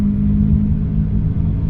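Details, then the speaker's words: Maruti Suzuki Alto 800 on test drive at about 40 km/h: steady low droning roar, no clicks or knocks, that grows much louder as speed rises, from a worn rear wheel bearing. "अब आपको देखो 40 की speed में देखो इसमें एक आवाज आ रही होगी आपको ह बहुत तेज सुनो आप लोग भी वीडियो में और जैसे मैं स्पीड बढ़ाऊ बहुत तेज हो जाएगी व आवाज देखना यह"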